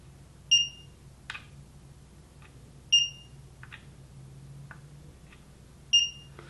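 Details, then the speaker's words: Schottky diode test on an EEVblog BM786 multimeter: three short high chirps about three seconds apart with faint probe clicks as the meter reads forward voltage, a normal chirp confirming a good diode. "here is the shopkey diode and if you noticed it did a little chirp when it read the forward voltage so let's let you hear that chirp"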